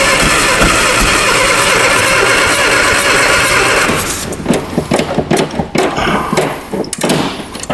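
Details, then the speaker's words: Abandoned 1960 Nash Metropolitan on first start attempts; harsh blurred roar turns to ragged, uneven popping and stumbling, suspected crossed spark plug wires making it fire against itself. "sounds like we got a wire across way it's firing against itself"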